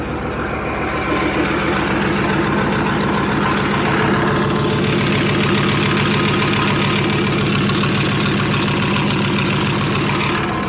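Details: Leopard tank diesel, test run after fuel injector bank O-rings and five or six cracked hoses were replaced. Even, steady clatter at about 3.5 beats per second with no misses or surges; no leaks found. Normal idle.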